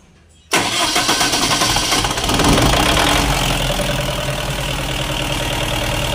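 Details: Diesel genset with a hard-starting complaint, after water was found in the diesel fuel: it catches at once after a brief crank, then settles into a steady, even idle with no hunting, starting and running properly.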